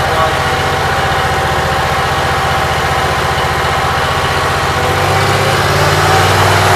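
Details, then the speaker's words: Briggs & Stratton Vanguard with Briggs carburetor, cold, run only 5–10 minutes, about 50°F outside, after rewiring: steady, even low idle drone with a consistent firing beat, no knocks or misses. "Everything seems like it's working. I have no complaints. Runs pretty good. It's a Briggs carburetor."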